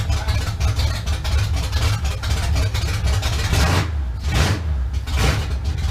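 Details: 1971 Chevrolet Camaro V8 after sitting nine years, first start with known-good carb and fuel at the pump, car still off the ground: deep steady rumble with clean rev blips returning to idle; engine fires and runs properly.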